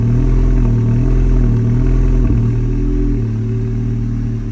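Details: Tuned 2019 VW MK7 GLI (Stage 2 ECU/DSG, catted downpipe, cat-back exhaust, intake): after a cold-start flare to 1900-2000 rpm and settling at 1100, near end of warm-up the idle drone sags and surges up and down; surging idle.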